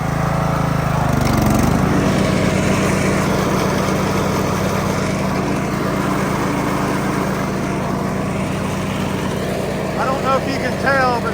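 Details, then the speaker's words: Riding mower with a roughly 46 in deck and a 42 in chute fitted, after repositioning a bent pulley brake arm on a previously loud deck: steady, even engine and deck hum, no squeal, slap or grinding; runs good, normal. "sounds a whole lot better sounds like a smoke so there it is uh the mower ran good"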